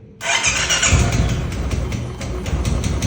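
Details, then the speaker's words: Royal Enfield Bullet cold start: the bike fires up, then a light, quick tick-tick sits over the uneven idle and goes away by itself after running a while; cause unknown. "जैसे इसमें टक टक टक टक वाली आवाज आ रही है ठीक है ऐसा है ये स्टार्टिंग में करती है लेकिन अगर आप इसे थोड़ी देर ऐसे ही रहने दोगे ना चला छोड़ दोगे तो यह अपने आप ही बंद हो जाती है"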